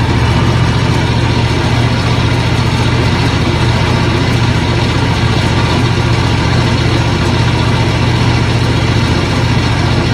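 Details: John Deere X724 tractor running with 54" snow blower engaged; steady, even low engine drone with a constant beat and no misses or knocks; tractor and blower running normally.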